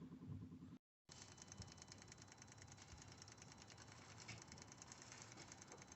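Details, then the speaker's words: MK8 Ford Transit 2.2/2.4 diesel with DPF soot codes; fuel system vaporizer prime test, faint steady rapid ticking about three per second as the pump primes, no hesitation; vaporizer pump working normally. "You can see the pump. You can hear it priming up. And the vaporizer is just up there."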